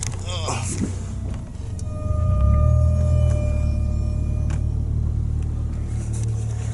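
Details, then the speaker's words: 2012 Toyota Matrix driving in winter: a thin, steady high squeal rises over road rumble and then fades, the brake pad wear indicator scraping the rotor, meaning the pads need replacing. "yeah so that squeaky son just indicates that you need new brake pads"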